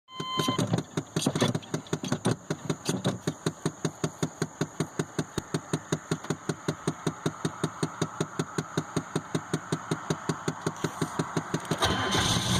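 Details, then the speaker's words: 1993 GMC 3500 6.5 turbo diesel with mechanical pump, cold, smoking white: slow uneven clatter with a loping beat, needing throttle to stay running when cold and still rough when warm; rough idle, cause unknown. "Barely runs, idles, rough, smokes like crazy."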